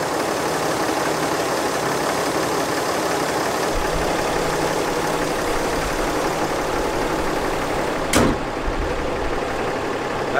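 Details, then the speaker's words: RAM 3500 diesel just after DIY exhaust manifold repair replacing loose bolts: steady, even diesel clatter at idle with no misses, knocks or hunting. Normal idle. "oh my goodness it sounds normal [Laughter] I gotta take a look don't believe it"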